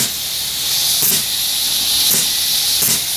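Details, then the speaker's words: Steam engine boiler at about 120–125 psi; sharp high steam hiss with brief surges as the pop-off safety valve starts venting; safety valve lifting normally. "125 120 maybe and you can see the pop off valve just starting over"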